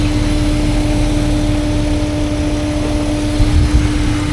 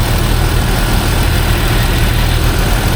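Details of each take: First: 2005 Jeep Wrangler TJ 4.0L fully warm, AC off, hood open: steady mid-pitched buzz over idle, with lost throttle power and idle climbing to about a thousand; owner suspected a pulley, and a crankcase vent tube to the intake manifold was ordered. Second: 2005 Jeep Wrangler TJ 4.0L after reinstalling the crankcase vent (PCV) elbow hose as a temporary fix: smooth, steady low rumble at idle, the earlier buzz gone; engine sounds healthy.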